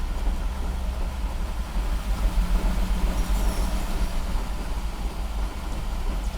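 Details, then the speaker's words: 1969 Mercedes 280SE, first start in 18 years after a mechanical fuel injection pump repair and timing, fed from an external tank, in park: low, uneven, loping idle while the transmission tries to move the wheels; rough idle. "oh she's a little rough she is a little rough transmission is trying to move"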